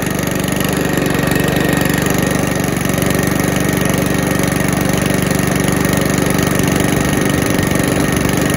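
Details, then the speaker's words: Mountfield lawnmower after oil change, filter clean and blade sharpening: small single-cylinder engine starts and runs with steady, even beat of about four pulses a second, no misses or knocks; healthy. "so as you can see it starts and runs really well"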